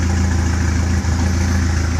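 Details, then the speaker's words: Austin A40 Devon restomod, work in progress, at idle: steady, even low idle with smooth unbroken beat, no knocks or misses; engine runs nicely. "you can hear I think you can hear the motor it runs pretty nicely"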